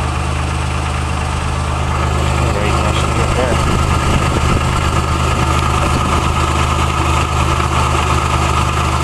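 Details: Dec 1985 Nissan Hardbody King Cab SE 4x4, VG30i V6, 160,030 miles, 5-speed manual, 2" catback with turbo muffler, warm idle: faint fast tick that seems to come from the exhaust, usually much louder; owner has considered piston slap, spark ping, oil pressure.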